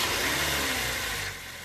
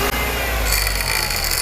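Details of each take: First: Car engine idling after its alternator was repaired by replacing the alternator bearings, which had caused a harsh, grumbling whine; smooth, even idle with a steady airy hiss and no screech or chirp; normal idle. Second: Running car engine with a harsh, grating hiss and gurgling rumble; belt and tensioner already replaced without effect, traced to worn internal alternator bearings, fixed by replacing the bearing pair.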